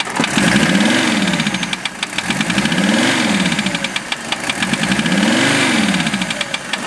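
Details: Warm Mercedes OM617 diesel swapped into a Toyota, idling after a few minutes' warm-up: sharp regular metallic knock pacing engine speed over lumpy idle. Unchanged after valve adjustment and cracking each injector; owner suspects piston/connecting rod area, unconfirmed.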